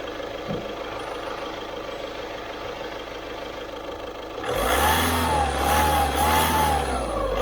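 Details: 2012 car idling, then revved: a loud whistle that rises and wavers with engine speed, mistaken for turbo noise and present about a week and a half, actually a torn exhaust manifold gasket leak.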